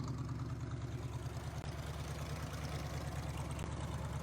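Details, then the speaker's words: 1977 Jeep CJ5 AMC V8 idling after being revived from non-running: steady low, slightly lopey idle that sounds like running on seven, just the AMC sound, not a misfire; carburetor floods easily and leaks, new one planned. "oh she hums yeah nice and quiet oh yeah amc v8 they all sound like they're running on seven that's just the amc sound"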